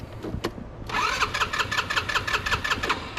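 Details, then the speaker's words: GY6 scooter that sat about a year, original battery dead: starter cranks with a steady chug about three strokes a second but never fires; suspected clogged carburetor jets or no spark, unconfirmed. "all right gang so we have no start issues so that could be two things it's not getting fuel because the Jets are clogged or we're not getting spark"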